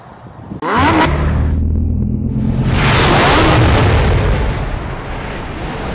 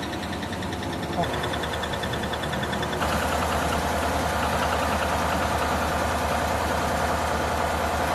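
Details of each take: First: GMC V8 after repair of failed lifters (lifter tick), new camshaft and lifters installed: engine starts and settles into a smooth, deep idle with no more valvetrain ticking. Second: GMC V8 idling with a quick, steady ticking over the engine note; these engines are notorious for failed lifters tapping in the valvetrain, fixed by teardown with new camshaft and lifters.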